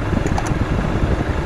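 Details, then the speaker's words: Chevrolet Aveo radiator fan running with A/C on after blown 10 A fuse replaced and fan relay reseated; steady, even whoosh over low engine hum, no rattle; fan working normally. "entonces estaba aquí en el fusible y tiene problemas de Relay pero la que viene siendo el segundo este que está aquí ve ahí lo moví y prendió el ventilador y tenía el fusible quemado"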